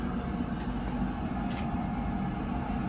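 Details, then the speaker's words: Buderus G115 triple-pass oil boiler firing after a service with the nozzle replaced: a low, soft, steady hum with no pulsing, rumble or whistle. The burner runs quietly and evenly. "i think it looks pretty good thing runs so quiet it's nice i can barely hear him no you don't even know it's running upstairs right"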